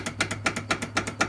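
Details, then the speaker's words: Talon X L&W arm on 8-inch portals, aftermarket spherical joints with play even when torqued; sharp metallic clicks about five a second as the arm is rocked. Joints knock through their play; one portal knuckle broke. "that is not normal that is crap all right so this is what happens if you don't if you just kind of snug it see how this moves back and forth a little bit that's that one and a half millimeters of play there"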